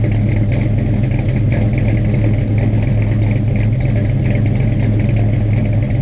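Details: Freshly installed 450 hp Blueprint crate V8 with a carburetor, first start: strong, deep idle with a slightly choppy, loping cam beat, steady and even with no knocks or ticks; healthy.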